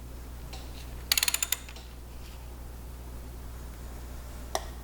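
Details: 1961 Ford F100 Unibody straight-six, engine out, turned slowly by hand: quiet, then sharp metallic ticks and a later pop, seemingly near number five or six cylinder main bearing area; head gasket failed, three cylinders lost compression.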